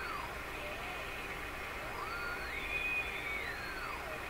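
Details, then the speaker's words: Northern Electric Model 5200 Baby Champ radio after final tune-up, slightly low voltage: thin heterodyne whistles slowly sliding up and down in pitch over steady static hiss, unchanged after tuning adjustment; cause not yet found. "Still got all those heterodyne stuff going on."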